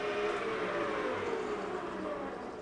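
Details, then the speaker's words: Rutland lathe after installing a replacement motor, running about 688 rpm against a 680 spec: steady mid-pitched gearbox whine over a quiet hum, the same whine it has always had; normal. "Is the exact same whine this thing has had since the day I had it."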